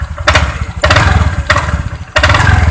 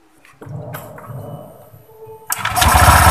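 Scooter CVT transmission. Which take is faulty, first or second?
first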